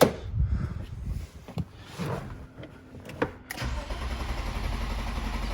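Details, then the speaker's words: 1998 BMW E36 M3 with long-standing hot no-start: after installing a new genuine cam sensor, scattered clicks and bumps, then steady cranking without catching; crank no start persists, sounds like a big vacuum leak, cam sensor bank 1 code returned. "very curious to see if i get the same behavior which is just obviously crank no start"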